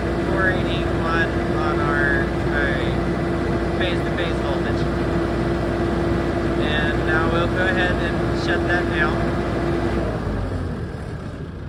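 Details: 45KVA Magnum/Generac generator with Marathon alternator and Isuzu diesel, 100-gallon frame tank, after repair, output trimmed from 486 to 480 V (277 line): steady constant drone and even hum at fixed speed, then winds down at shutdown; healthy.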